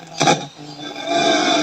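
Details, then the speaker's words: Amplifier volume knob turned: short burst of harsh crackle, then a faint buzz; worn, scratchy volume potentiometer. "angya niya ay maiingay siya pag pinipihit itong m volume garalgal Malakas"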